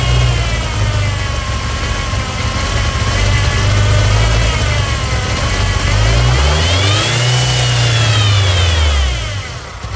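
Four-cylinder revs up and drops back with a steady hiss riding over the engine note at every speed; points to a big vacuum leak.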